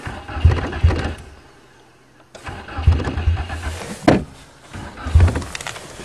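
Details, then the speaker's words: 1994 Nissan Sentra 1.6 cold start: short cranking bursts, fires once or twice then dies; fuel pump not heard priming, stalls every time after catching, hard cold start. "i don't hear the fuel pump come on starts like the talon definitely not a cold weather car same every time"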